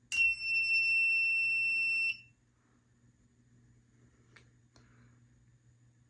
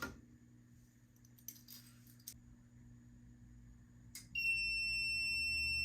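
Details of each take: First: Fire-Lite MS-2 fire alarm panel, after pressing reset: single shrill steady trouble buzzer about two seconds then stops; NAC circuit fault trouble signal. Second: FireLite MS-2 fire alarm panel triggered by a BG-12L pull station: after a quiet room and a mechanical clack, a loud, steady high-pitched alarm tone.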